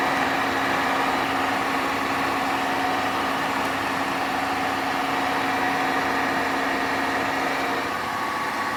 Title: Horrible Grinding Noises From Hotpoint Washer